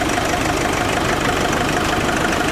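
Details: Diesel with turbo, after a new alternator (alternator bearing had squealed), idling about five minutes on a chilly day: steady even clatter with a constant faint whirr, no belt squeal or chirp; runs clean and healthy.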